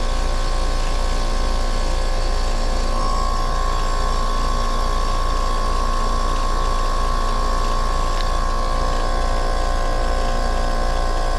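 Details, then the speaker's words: Commercial R22 air-conditioning unit, refrigerant replaced with virgin a year earlier, similar problems again; compressor running with high pressure switch bypassed, high head pressure, low suction, compressor hot; steady loud hum with fine pulsing beat and ~1 kHz tone, sounds rough and strained; odd compressor noise, cause not confirmed. "as y'all can hear this thing sounds like it's about to go out on high head pressure sounds rough"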